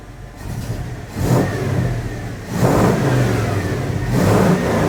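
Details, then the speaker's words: 1980 Dodge W200, Magnum 5.9L V8, Holley 600 cfm carb re-jetted from probably 64s to 66s, engine cooled down: three clean throttle blips rising and falling smoothly, tiny bog only, clean held at 2500 and 4000 rpm; now running well. "all right this seems to be working good here the engines had cooled down to like 15 so it's got just a tiny little bit of bog but not real bad when I held it up to like 4,000 RPM it super clean"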